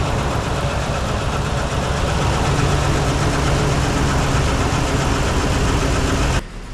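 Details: 2015 Ford F-350 Super Duty 6.2 V8 at idle: lumpy, uneven beat with a regular stumble and chuffing from a bad misfire that started suddenly while driving, not towing; one dead cylinder, found on teardown to be a broken exhaust valve spring.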